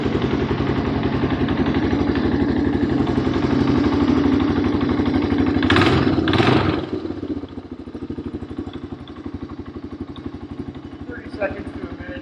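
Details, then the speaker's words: 1985 Honda ATC250ES Big Red three-wheeler, single-cylinder, just after an oil change with oil overfilled: even thumping at a fast steady pace settling to a slower idle, no chain rattle or slap; engine sounds healthy. "I don't hear too much engine, like time change noise."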